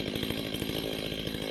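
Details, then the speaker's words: STIHL 025 two-stroke chainsaw during carburetor adjustment: steady, slightly fast idle with an even rapid buzz. The idle is turned up until the chain just creeps forward before the low-speed screw is set. "So the first thing you want to do is you want to turn up the idle until the chain moves forward, just barely. So go ahead, turn this up and watch on the right hand side as the chain slowly progresses forward."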